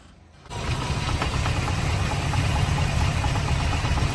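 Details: 1972 Chevrolet Impala with an LS3 swap and automatic transmission, idling: a light, uneven knock and rattle over the low V8 rumble, from loose torque converter bolts, before the fix.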